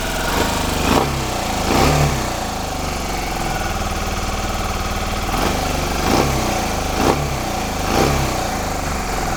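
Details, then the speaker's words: Kawasaki Ninja 125 single after spark plug replacement: ticks over evenly with a few clean throttle blips, revving up and settling back smoothly; healthy running. "Yep. All sounds good to me, all looks good to me."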